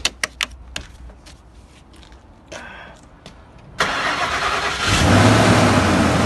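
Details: 2004 Ford Expedition after replacing the serpentine belt idler pulley: a few clicks, then the engine cranks, catches and settles to an even idle with no squeal, rattle or grinding from the belt.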